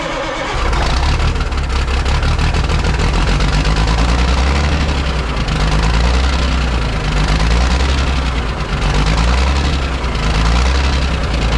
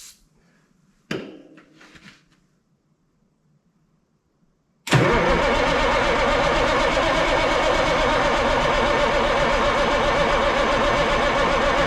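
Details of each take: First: Ford cabover 14 L Big Cam Cummins diesel revived after 10+ years sitting, possibly still working air out of fuel system; steady even diesel clatter at fast idle, no misses or knocks. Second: Ford cabover 14 L Big Cam Cummins diesel sitting 10+ years, fuel shutoff solenoid reconnected to prime fuel; slow cranking with haze from tailpipe, then loud rough roar on a squirt of starting fluid that cuts out; hard starting after storage.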